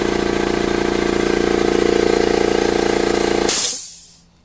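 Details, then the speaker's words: New Makita MAC700 air compressor outdoors, meter about 2 feet away peaking near 90 dB: fast, even piston chugging about three beats a second, then cutoff with a sharp burst of air; normal running. "Okay, so the meter's probably 2 feet away from the compressor, and you can see we had a peak of about 90 decibels."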